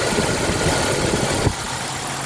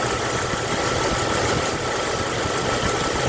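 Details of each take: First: 1996 Jeep after a stuck-open EVAP purge valve was temporarily plugged with a bolt: smooth, steady idle with no hiss or whistle underneath; the vacuum leak is gone and the engine runs even. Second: Jeep engine idling: steady hiss of air drawn through the EVAP line as the normally closed purge valve, intake side connected, passes vacuum when it should not; purge valve stuck open, possible contributor to cold starting issue.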